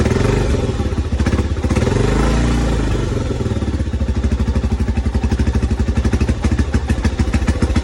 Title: 1987 trx250x first start after full engine rebuild